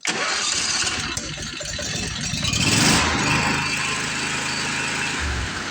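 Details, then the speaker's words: Commercial Briggs & Stratton 25hp V-twin on a Simplicity Champion XT zero turn, heads replaced after a pushrod problem, idle just adjusted. Even, settled mid-pitched idle with no misses or hunting. Mower judged in good shape: normal idle. "all right, I think this mower is in good shape."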